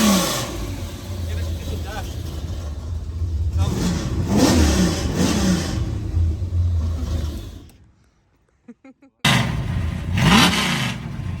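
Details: Holden VN Calais V8 build after first start and tuning, muffler still closed: deep rumble rising and falling through several throttle blips, no misses or knocks; revs freely and sounds healthy.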